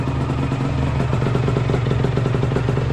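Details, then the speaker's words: 1997 Aprilia RS 125 GS two-stroke in full-power trim: crisp running with a fast, uneven crackle riding over the exhaust note, the normal sound with the power valve open. "entend bien claquer là, avec la soupape ouverte."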